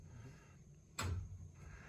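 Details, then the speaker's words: Residential steam heating system with an added radiator over 30 feet away on an undersized pipe; sudden heavy bang from moving pipes as steam hits trapped water and violently expands it; steam hammer. "So that hammering sound that we're hearing is steam hitting water and violently exploding that water. And it expands thousands of times its original size."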